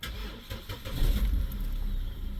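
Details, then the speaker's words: Vauxhall Zafira A, started just after clearing fault codes: the starter churns slowly with a labouring rumble before it catches; charging voltage sits in the low 14s, and the battery is questioned. "It's a bit slow when it started."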